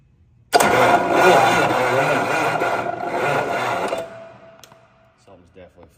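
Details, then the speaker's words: Engine on jump box: uneven, laboured starter cranking for about three seconds, quits without firing; starter sounds strained and unhealthy; starter wires later found warm and loose; cause suspected, not confirmed. "unless the starter's bad the starter just sounds bad I don't know my starter doesn't sound healthy"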